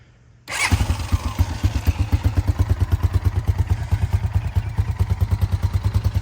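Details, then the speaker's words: 2000 Honda Foreman 450 ATV, bought in bad shape and reassembled: catches right away and settles into a steady, even, strong single-cylinder thump at idle; sounds pretty good, normal start and idle. "So, it sounds pretty good."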